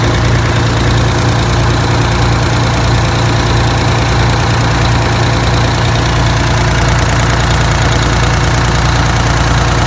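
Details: Detroit Diesel 6V92TA two-stroke after installing Jake brakes on the passenger side, test run once oil reached the jakes: deep even idle with steady low throb, no misses or knocks; normal idle, successful test.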